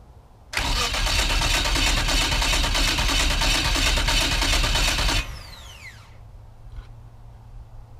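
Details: Saberwing homebuilt aircraft Corvair engine at first start: starter churns steadily about three beats a second for five seconds, never catches, winds down; mixture control was found not adjusted correctly, throttle modification also not accounted for on reinstall.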